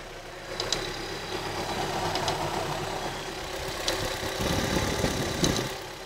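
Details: Opel Astra GTE C20LET at idle, also knocking on revs from cone filter and revving problem: steady idle with scattered light clicks and taps; owner suspects the inlet or ICV clicking, source not confirmed.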